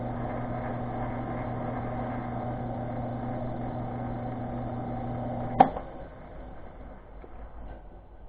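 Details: ShopTask 17-20 XMTC lathe/mill feed-rate selector pushed fully to its stop rubs gear faces: steady hum with faint whine, then a click as it's backed off slightly, and the rubbing tone drops to a quiet, smooth spindle.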